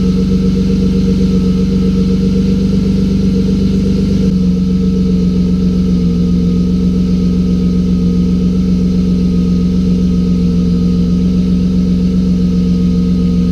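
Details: BMW drift car just after fixing an injector issue: steady idle with a smooth low burble and even drone after a small speed change, no misfire or stumble; sounds good.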